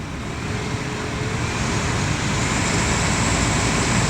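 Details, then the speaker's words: Chevrolet Impala with no-heat complaint, after rewiring, engine idling: blower motor running with steady even rush of strong air from vents, swelling slightly, no rattles or squeals; normal blower operation. "nice strong air blowing out the fence"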